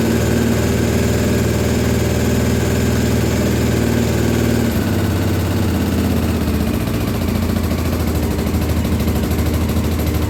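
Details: 1983 Honda XL600R first start after top-end rebuild (1mm overbore, Wiseco 11:1 piston, Megacycle stage one cam, heavy-duty springs, rebuilt carbs): steady thumping single-cylinder beat dropping to a slower even idle, no knocks or misfires; normal running.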